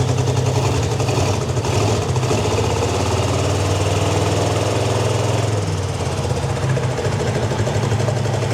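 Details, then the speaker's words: 1952 Ford Crestline revived after years sitting in a field, first fire on jump box with small fuel leak: low, lumpy, stumbling idle, down at least two cylinders, maybe running on one side; owner suspects plugs. "we're definitely down a cylinder that's for sure sure I think two cylinders at least got to be it almost sounds like an ler I'm I'm only running on one side could be plugs but we"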